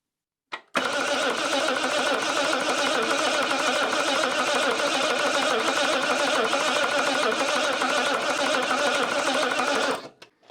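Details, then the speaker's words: Princess 2200 automatic, first start attempt with fresh oil and fuel: starter churns steadily about three turns a second for nine seconds without firing, as the fuel pump must first fill the completely empty carburettors. "of course it will have to pump fuel into the carbs because they're completely empty now so nothing will happen for the first few seconds"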